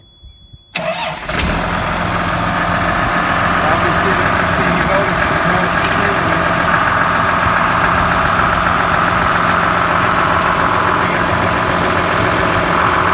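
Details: Cat D5G dozer diesel after fixing a charging problem by tightening the alternator belt: cranks, catches quickly and settles into a steady even idle, constant hum, no squeal or slipping belt; charging now normal.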